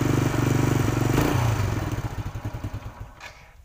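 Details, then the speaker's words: Single-cylinder motorcycle running after a totally dead spark plug with no spark was repaired by a roadside alternative method; even putter at about four beats a second, then winds down and stops; engine firing normally. "Oke bro, dan motornya atau businya kembali bisa hidup, bisa berfungsi ya."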